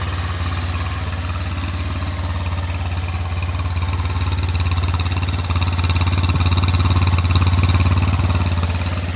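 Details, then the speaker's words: SunL 150cc GY6 air-cooled Chinese quad, kickstarted with no choke after about four years stored, with a fresh battery, new tank and fuel lines: an even, low putter at about 3–4 beats a second with no misses; a healthy idle. "Um, but I mean, this thing hasn't ran in years. So, for it to kick over and and start that easily, that's uh that's a real nice feature to have."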